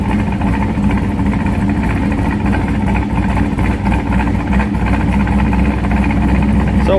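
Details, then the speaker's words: C5 Corvette cammed V8 idling through the H-pipe, before the Bassani X-pipe swap: a deep, lumpy idle with an uneven, flapping, fluttery burble in the exhaust that the owner wants to get rid of. "we're hoping to try and get rid of that kind of Sluttery noise that it makes in this particular exhaust don't really care for that"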